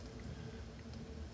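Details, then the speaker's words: Amplifier at full volume playing a quiet vinyl track after hum-and-buzz troubleshooting that involved the turntable and power cord wiring: only soft, low record surface noise, no buzz or mains hum, so the amplifier is now quiet. "Now, in the track, all you're going to hear is the track noise. No stut, no buzzing, no nothing. Absolutely nothing."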